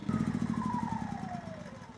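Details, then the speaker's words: Yamaha EF2000iS inverter generator in economy (power save) mode: pitch sags and fades within two seconds as it hunts and spins down instead of holding idle; surging, suspected clogged carburetor pilot jet, not confirmed. "it is there's your surgeon now if we turn on Power Save mode it gets even worse so normally that would be able to hold an idle in power same mode but right now it can't"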